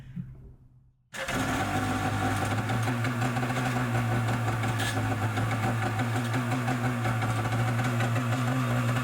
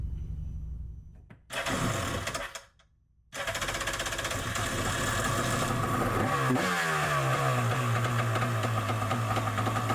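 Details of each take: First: Yamaha Superjet stand-up jet ski, first start after fueling: fires instantly, but harsh metallic grinding rides over the idle; starter bendix suspected of dragging on the flywheel. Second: Yamaha Superjet stand-up jet ski after a rebuild to fix a rattle: brief crank, then a steady two-stroke buzz with a small rev and no rattle; it runs healthy.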